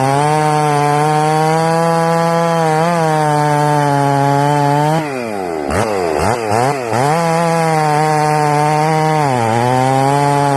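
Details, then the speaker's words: Ported Jonsered 630/266 chainsaw, built in winter, low hours, earlier air leaks and carburetor issues solved: strong steady high revs bog into the cut then recover cleanly to full speed; normal healthy running under load, recorded two weeks before failure. "okay as you can see in that video good running saw i built that saw in winter"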